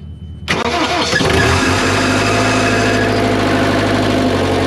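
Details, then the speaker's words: JLG lift diesel engine bought with a bad engine, possible fuel left in exhaust: catches almost instantly after brief crank, settles into strong even diesel clatter with no misses; sounds healthy. "man this one sound a heck of a lot better than the other one that's crazy"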